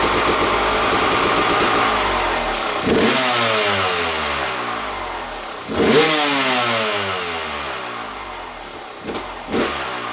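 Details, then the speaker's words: Honda CR250 two-stroke after an oil change and a ride around a field, checked for engine noise: crisp blips rise sharply and fall smoothly, no knock or rattle; normal running. Earlier noise was later traced to a dryish clutch, fixed with new oil. "I changed the oil on this and I rode it around the field in front of the house and it's not making any noise but I'm going to start it tell me what you think I don't hear anything"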